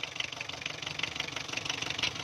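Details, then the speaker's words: Diesel engine with injection pump timing set far too advanced, warm, vibrating, weak pickup under load: harsh, hard clatter about twelve times a second over idle; fix is loosening the 12 mm pump bolts and retarding the pump. "तो गाड़ी बहुत ज़्यादा कड़क है, तो sound से भी आपको पता चल जाता है।"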